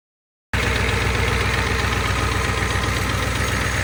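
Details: Steady, even diesel clatter with no stumbles on a 1988 Ford 7.3 IDI, first start after the turbo was rebuilt and reinstalled; started with a little persuasion, no starting fluid, a bit smoky: normal, healthy idle.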